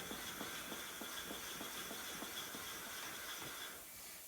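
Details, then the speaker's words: Junior dragster flywheel lapped onto the crank taper with valve lapping compound; a gritty rhythmic grinding while spinning it by hand fades as the compound squeezes out, then returns harder when reversed. "you can kind of hear the compound getting squished out and uh and it's not grinding anymore so then take it off put it back on spin it the other way you'll hear it grinding a little bit harder and then it goes away again"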